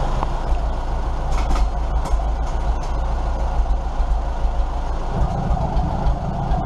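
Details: 1947 Farmall M tractor running with the muffler pulled off: loud, raw open-exhaust bark with a firm steady beat that thickens slightly near the end; normal running without muffler.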